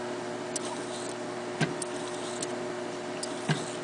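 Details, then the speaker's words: Early Eicor reel-to-reel tape recorder with metal pinch roller, restored with new belt and felts, running: quiet, steady motor hum with a few light mechanical clicks, no drag, squeal or flutter. Normal tape transport running. "we got a slide it's literally a metal pinch roller and the rubber counts down kind of funny punk plunk"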